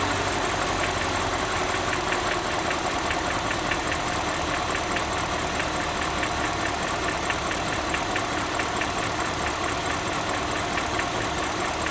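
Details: BMW Alpina H1 with N62B44 V8, 160,000 km, idling steadily with a fast, light ticking over the engine hum; abnormal ticking at idle, cause unknown.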